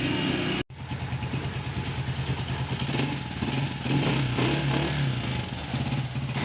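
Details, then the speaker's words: Honda CG125 single-cylinder after repair of tik-tik top-end noise, damaged parts replaced, rocker plate refitted and tappets adjusted: steady even thump at idle with no tapping or clatter; smooth normal idle. "तो काम करने के बाद bike का sound भी आपने सुन लिया देखें कितना स्मूथ और प्यारा साउंड बन गया है"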